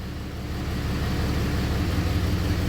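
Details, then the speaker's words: 6.7 Cummins hotshot truck, probably a 2017, injector kill test after injector replacement: deep steady diesel rumble roughens and dips as each cylinder is cut; injectors 1 and 2 now make a big difference, so they are firing properly. "that makes a hell of a difference now. And number 1 made a small difference before, makes a big difference now."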